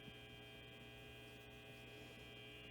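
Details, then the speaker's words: 1966 Gibson GA-20 RTV Minuteman tube amp, barn find, first power-up on a current limiter after cap replacement, volume fully up: steady low hum with thin buzz, nothing else passing; mains hum, cause unconfirmed. "Okay, so it's a little bit of buzzing in the speakers, and that's about it."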